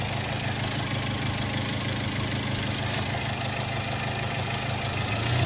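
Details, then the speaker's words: 2005 Daihatsu Xenia 1.3 Xi manual, 190,000 km, AC running: even, smooth petrol engine note with no knocks or ticks at low and high rpm, revving cleanly over the AC hum; engine healthy. "Kita dengarkan suara mesinnya. RPM rendah halus, RPM tinggi halus."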